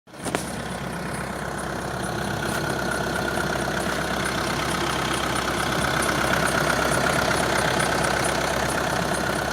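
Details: 1.6 TDI diesel idling steadily with a thin, high squeal riding over the clatter; squeal at idle.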